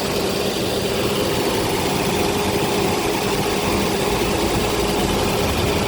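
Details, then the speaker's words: Mercedes W126 V8 on LPG after fixing misfire by adding more LPG: even, steady low-rumble idle, no stumbles or pops; no misfire. "Okay, guys. Here we go. No misfire."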